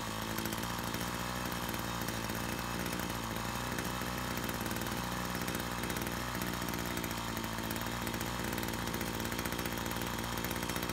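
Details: Brush cutter after repair of a fuel leak from a split fuel hose that had stopped the engine while mowing: even, steady two-stroke buzz at constant speed, no misses or surging; runs cleanly.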